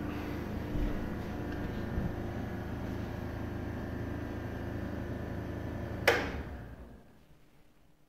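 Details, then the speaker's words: Air compressor in a DIY foam-lined wooden soundproofing cabinet with baffled vents and a temperature cutoff: a soft, muffled steady hum barely above room noise, then a click as it shuts off. Normal running. "me personally it does not bother me at all I just hear a background noise so the difference is really noticeable it's really great,"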